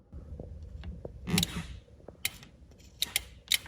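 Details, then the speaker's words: 2021 Ram 2500 Limited Mega Cab 4WD relay box, wire fray repaired but not the fault: powering relay with grounded test light gives short sharp clicks among handling noise; relay pulls in normally. "I don't know if you can hear that, but the relay clicks. And then whenever I poke this one, the relay also clicks, and it goes into four-wheel drive low whenever I do this."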